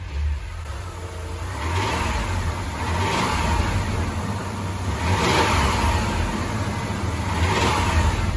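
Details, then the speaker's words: Mitsubishi Montero, reportedly snapped timing belt, unrun 1.5 years, after intake manifold reassembly with new gaskets: rough uneven tapping rising with revs; slightly better but unchanged, owner suspects debris left in cylinder six. Knock cause unknown. "it sounds like it's a little better but it still sounds roughly the same so I'm not 100% sure what's causing that"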